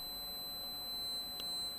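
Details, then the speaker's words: 24 V switching supply PCB: thin, steady high-pitched tone with faint blips; microphonic ceramic capacitors singing, tone changing when capacitor C3 at the switcher IC input is pressed, identified as the main source. "let's see if anything changes when i press on the component slightly slight change there that is making a bit of a difference in the tone that is making a huge difference on that capacitor just there"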